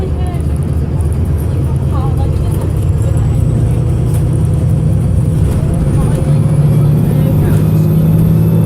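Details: Arriva North West 3008 (MX59AAY) VDL SB200 bus diesel under full-throttle thrash, recorded December 2017: heavy drone pulling hard under load, uneven and stumbling, engine misfiring.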